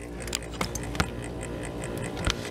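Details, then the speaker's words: Old refrigerator, freezer near 40°F and fridge over 50°F, no airflow: faint irregular clicks and rattles behind the freezer panel over a hum, as the evaporator fan blade has fallen off its still-working motor. "that is no good and uh you'll you can hear it you'll notice like a little rattling noise back in there"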